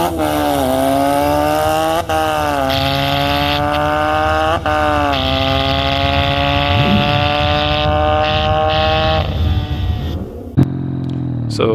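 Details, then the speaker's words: Supercharged 1968 Honda CL175 land speed bike at the drag strip with boost raised to 8.5 psi: engine screams up through the gears, revs flaring briefly at each shift; the clutch slips under boost, later replaced with a performance clutch. "but you can hear in that last clip the clutch started slipping between gears and I kind of figure we're starting to have an issue"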